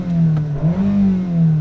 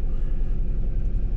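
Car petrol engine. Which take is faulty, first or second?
second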